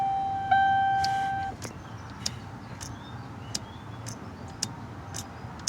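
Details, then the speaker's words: 2005-2011 Ford Panther (Crown Vic/Grand Marquis) swapped to a 5-speed manual, key on, brake pressed: a short chime, then sharp clicks about twice a second from the leftover steering column shift lockout solenoid; the clicking stops when its green connector is unplugged. "no more clicky click so I think that's the shift lockout solenoid right there"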